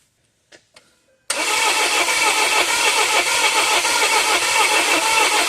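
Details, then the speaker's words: 2017 Volvo XC90 crank-no-start after reportedly stalling while driving; cranking while measuring crankcase pressure after the exhaust trace showed nothing, revealing a pressure spike; uneven lopsided cranking about three pulses a second, never catches, one cylinder lost compression, likely a burnt piston. "all right so I'm going to make one last uh measurement to see if we can find the uh loss of compression since we didn't find anything in the exhaust Trace either"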